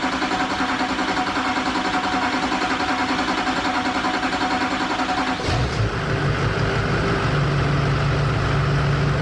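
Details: 2001-04 Duramax LB7 diesel after injector replacement, with the fuel system primed: catches after a few seconds, then a steady, even idle with no knocks or misses; normal start and idle.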